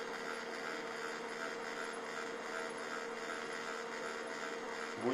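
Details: HP LaserJet 1200 laser printer with a steady, unbroken motor hum, green light on but never reaching ready; replacing the laser unit solved it.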